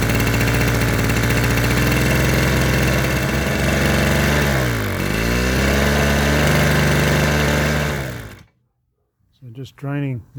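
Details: Mid-1970s Victor two-stroke lawn edger, previously stuck engine, running on fresh pre-mix: buzzes along evenly with one brief dip in speed before shutoff; runs clean and healthy.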